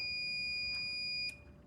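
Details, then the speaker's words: LiftMaster LM21XP fire door release unit after the fire-alarm dry-contact wire was landed and the side reset button pressed. A steady high tone ends with one short confirming beep, then quiet; normal reset beep. "I pushed Okay, I pushed the reset button. It reset. You heard you heard it make, you know, one more beep after that. And now we're back to normal."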